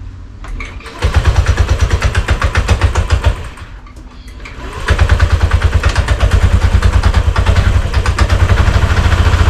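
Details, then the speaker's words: Honda Scoopy (Metropolitan) scooter after a tow-truck breakdown on a road trip; starts and rattles loosely and unevenly at idle, clearing up with revs and returning at idle; owner fears it is serious. "So it's running, it's pretty rattly as you can hear. Once it get a bit of revs up, it kind of clears up a bit. But then once it starts idling, it rattles again."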